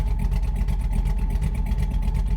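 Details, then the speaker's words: LS V8 truck after a cam swap, idle tuned with HP Tuners, in gear with desired idle 650 rpm and IAC counts around 150 (target about 60); low, slightly loping, choppy idle; normal cammed idle. "yeah IAC steps are still in that 150 range idle doesn't sound too bad"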